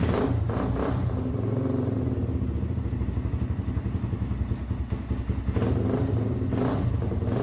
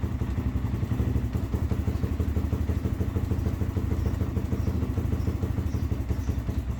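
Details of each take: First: Kawasaki Z400 quad after a new one-way bearing and reinstalled stator with new gasket: slow, uneven cranking with a labouring clatter before it catches; the starter motor is failing. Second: Z400 quad after one-way bearing and starter replacement, stator reinstalled with new gasket: single-cylinder thumps along at an even idle with no grinding or slipping, checking for leaks and starting issue; starts and runs normally.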